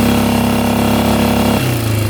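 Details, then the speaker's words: 1998 Yamaha Grizzly 600 4x4 ATV, stator recently replaced, on a full-throttle test drive tops out near 10–12 mph: engine drones then sags and wavers, bogging with no top end, backfiring, then stalls; cause not yet found. "Backfiring. That doesn't sound good. And just stalled out. Yeah, it is not running right at all."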